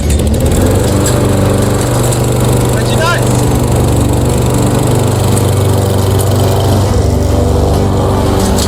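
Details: Mastercraft lawnmower after a replacement engine swap, restarted while still warm; the engine holds a steady, even drone with no misses, knocks or surging, normal healthy running.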